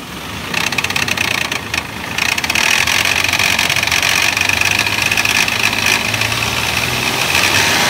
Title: Toyota Prado 2004 1GR-FE engine, knocking noise, FAULTY vvti unit.